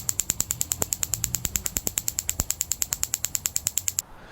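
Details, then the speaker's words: New battery-powered gas grill igniter module with the button built into the battery cap, tested before installation: rapid, even, crisp snapping at about seven or eight sparks a second, so the igniter is sparking properly. "Hear the clicking? That says it's working. And you can actually see a little spark jump across these contacts."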